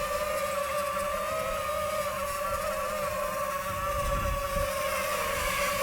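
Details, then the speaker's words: DJI FPV drone in flight on third-party Amazon props: high motor whine that wavers and buzzes instead of holding steady; strange vibration from unbalanced props. "okay so on these amazon props i was getting some weird sounds out of the motor it's weird i don't know if you guys could hear that but i was getting a very strange vibration"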